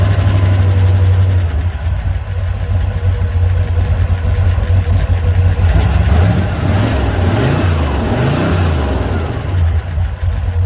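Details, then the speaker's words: 1968 Corvette, slightly modified V8, after stripped distributor drive gear knocked ignition out of time, back running: deep steady burble with light throttle blips, firing evenly without misses; running decent, timing check and fuel leak fix pending. "I even put white paint dot on it, but it's running pretty decent."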